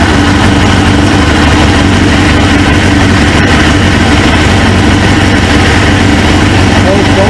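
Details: 1999 Suzuki GSX-R 750 with a newly installed used engine, first start, kickstand switch bypassed; loud, steady four-cylinder idle with an even beat and no misses, knocks or hunting. A suspected fuel O-ring leak was being checked. Normal idle.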